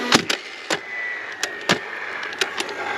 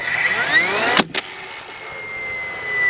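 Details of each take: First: DeWalt DCFS950 fence stapler, after jam-light stall (owner suspects moisture on jam-mechanism contacts); sharp, clean snaps at irregular intervals with light motor whir between: normal firing again. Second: DeWalt DCFS950 cordless fence stapler driving into old landscaping timber: motor winds up with a rising whine, fires one sharp shot, then fades instead of recycling, with jam light blinking though no jam; stalls after firing, cause unknown.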